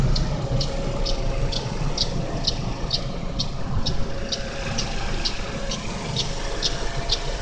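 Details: GM Daewoo Lacetti 1.5L DOHC inline-4 (E-TEC II F15D3) at cold idle: crisp, evenly spaced light ticks about twice a second, loudest between the exhaust camshaft pulley and the power steering pump. The tick disappears after 15–20 minutes of running; cause unknown.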